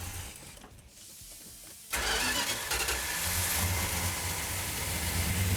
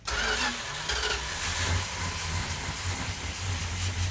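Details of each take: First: 1972 Plymouth Duster 340 V8, 4-speed, restored, start held on choke: engine catches at about two seconds and settles into a steady, even, rumbling run; sounds healthy, normal start and idle. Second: 1972 Plymouth Duster 340 V8, 4-speed, originally slant 6, restoration first start without primer fuel: engine catches after cranking, runs lumpy and uneven at low revs, struggling to settle; hard start, timing being advanced.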